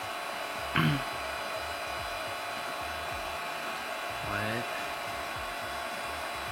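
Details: Magma 250 3D printer laying its first layer after auto-leveling: steady even fan hiss with no stepper whine or knocking; quiet, smooth-running printer, only the fans audible.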